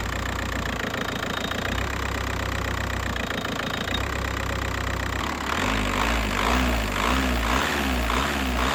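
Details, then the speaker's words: MK4 Golf TDI diesel idle after accessory belt tensioner, belt and engine mount replacement, steady clatter with even beat and a short lift; accessory side more stable with less vibration, healthy idle. "In conclusion, after the tensioner and belt job, the accessory side of the engine is a lot more stable, introducing less vibrations."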